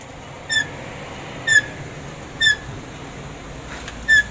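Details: DFM Succe rear left drum brake squealing: four short, high-pitched squeaks about one a second from a dusty drum, before cleaning it.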